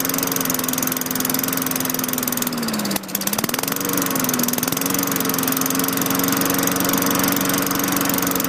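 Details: 2003 Craftsman 22" mulcher, Tecumseh 4.5HP engine 143.034502, restarting after fitting a replacement LEV 100-115 carburetor: steady, even drone; speed dips briefly once, then the governor pulls it back and holds smoothly. Normal running.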